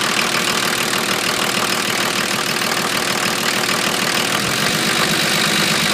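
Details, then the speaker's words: 1980 International Scout II with factory Nissan SD33T turbo diesel, first run after rebuild, still cold at idle: loud, harsh, steady diesel clatter, about three beats a second; owner unsure why it is louder than others, suspects the cam. "so uh that's what it sounds like it's pretty loud compared to some of the others that I've Just Seen on on YouTube um not sure if that's because of the cam or or what the deal is"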